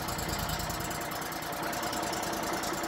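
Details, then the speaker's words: Auction-bought wood chipper that had a no-start fuel-line problem, on a test start with the choke on, the fuel filter bypassed via a taped connector and the air cleaner off: the small single-cylinder fires in a quick, even beat and keeps running on its own; normal running. "This is just for a test. Got the choke on... and there it goes. Woohoo!"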